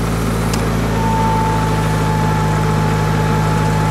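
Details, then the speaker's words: Antique Hobart engine-driven welder at welding speed, held by the belt-driven governor; steady, even drone settling onto a constant pitch, smooth healthy running. "all right there are two ways to set this at the welding speed that it's prescribed on the data plate which is 1800 rpm"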